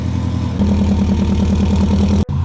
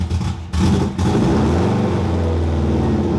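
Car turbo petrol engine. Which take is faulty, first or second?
second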